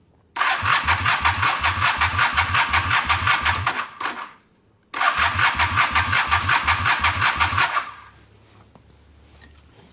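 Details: Motorcycle with carb cleaner sprayed in, likely gummed up: two bursts of steady cranking chuff, about three beats a second, never catch; turns over but won't start, cause unconfirmed.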